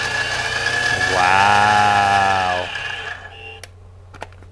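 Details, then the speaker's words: Central Machine mini mill after Little Machine Shop belt pulley conversion replacing the gear transmission: spindle spins up with smooth rising hum, steady clean tone, winds down; much quieter, no gear whine; normal spindle run. "much quieter now I was pretty happy with how quiet the belt conversion made it on its own"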